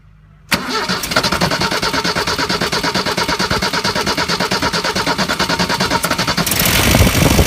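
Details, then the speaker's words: 1994 Ford Econovan after a slipped timing belt was fixed, burnt ignition points replaced and gap and timing set: it catches within a second and settles into an even idle with regular firing pulses; much better than before, though the #1 plug lead is cracked. "That sounded much better. Doing that because I found a big crack in this #1 lead, so it's still working, but I'm going to have to replace that pretty soon. This is much better than it sounded yesterday when those points weren't opening properly."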